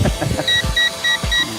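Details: Eachine E520S drone in flight at about 22% battery: short paired high beeps repeat about every half second over motor hum, the controller warning that the flight battery is nearly flat.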